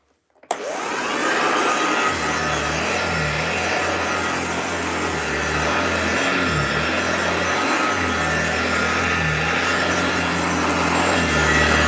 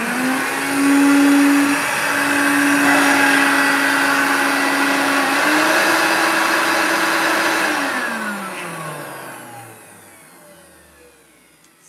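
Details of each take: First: 1968 upright vacuum, long stored in a loft, running on carpet, heard at floor level: smooth steady motor whoosh with a low even beating hum, no scraping or knocking. Runs normally, needs some TLC. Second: Vacuum, after cleaning; owner unsure whether the belt was refitted and suspects the agitator bearings (fans and motor looked fine): loud motor roar with a wavering high whine, then spin-down. Still noisy, cause unclear.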